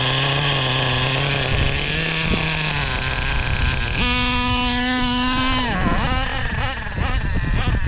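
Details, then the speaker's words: O.S. 21 TM nitro engine in a Traxxas RC: the high-speed needle, turned in a further 3 hours, is too lean. A high buzzing tone sags and stumbles unevenly as the engine cuts out, so the needle is backed out again. "I screwed it in another 3 hours and that was too much you can hear it cutting out out so I so I screwed it back out 3 hours"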